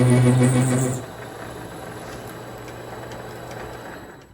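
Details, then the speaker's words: Vevor MX400 mini lathe parting cut with a sharper blade, everything squared up. Loud steady low buzz for about a second during the cut, then drops away; chatter, owner suspects the thick parting blade. "Again, that could be the thick cutting blade that I have causing that chattering."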